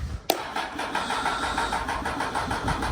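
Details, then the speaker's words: Honda Hornet motorcycle, battery on charger and fuel light flashing: starter turns engine at uneven, labouring rate without catching; owner suspects too little amperage for fuel pump, possibly airbox or throttle issue. "hooked it to the charger earlier we had a fuel light flashing that a't going to be enough"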